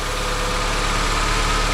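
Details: 2006 Honda CR-V after VTEC valve change and fresh oil and filter, first start: steady even idle, smooth low hum, no knocks, ticks or misses; normal idle.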